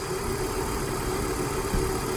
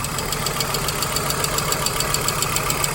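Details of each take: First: 1997 Volvo 850 at an even, steady idle with no ticking or tapping on top, still waiting for the suspected hydraulic lifter tap to appear. It sounds healthy; the oil pressure light goes out immediately at start and the tapping normally stops after hard driving. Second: 1997 Volvo 850 the next morning after a quick short run: steady light ticking, several taps a second, over a smooth idle. The owner thinks it is not injector noise but the slap of a hydraulic lifter piston; the tapping ceases once driven hard and there is no oil pressure light.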